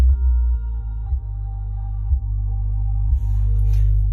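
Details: Used Klipsch R115SW subwoofer: deep bass tone with rattling buzz at certain frequencies once gain passes halfway, from the driver itself; buzz lessens with driver upside down or pressed by hand.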